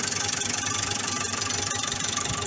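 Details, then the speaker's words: Massey Ferguson 440 Xtra tractor, Brazilian-built Perkins engine, running about half an hour; diesel idle with fast, steady metallic tapping pulsing with engine, plus power loss; knock persists after injectors and injection pump serviced, source unknown. "في عندي مشكل من المختار، نقصت القوة تاعو، مولاش قادر ولا يتخض الموتور، فيه صوت طرق أو تكتكة وما عرفش السبب من المختار"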